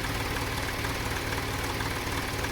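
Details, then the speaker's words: 2014 Dodge Journey 3.6 after camshaft replacement, check engine light on: about a minute after starting the idle turns uneven and lumpy, no knocks or loud ticks but sounds like missing on a couple of cylinders; unexplained rattle also heard; cause not determined. "running though there's no knocks or loud ticks it just sounds really weird like it's missing on a couple of cylinders or something so I come back in here and and it just sounds noisy runs like crap"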